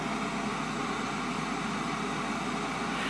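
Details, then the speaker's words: Hard-wired transistor preamplifier with two BC547 stages, 50k volume control turned to maximum: only a steady, even hiss with no low hum underneath. This is normal transistor noise. "you can hear the noise and that's normal no h absolutely no h that's the most important thing"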